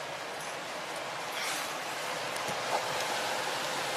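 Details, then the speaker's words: Home heat-and-AC furnace blower after the owner's DIY repair of the stopped AC, running with power restored and the door switch taped down: a smooth, steady rush of air with no squeal, rattle or grinding. Normal; the vents then blow cold air. "There we go. I hear it. Motor's working."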